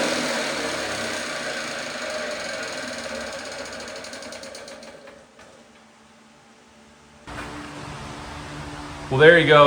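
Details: 1954 Lawn-Boy RPM 8FH13LB mower, dormant 50 years, first start after carb cleaning: screams at constant high speed, never dropping back, then dies; air leak at the loose carb throttle makes it run wide open.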